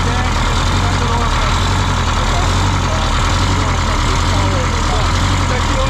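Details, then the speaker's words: 1977 MCI coach with 8V71N two-stroke Detroit Diesel, just started after freeing three stuck injectors that caused a runaway: deep even steady idle, no hunting or surging; about 50 psi oil pressure, still cold, warming up. "yeah it's got good oil pressure man she's like 50 pounds just got to warm up yeah we're going to let it warm up"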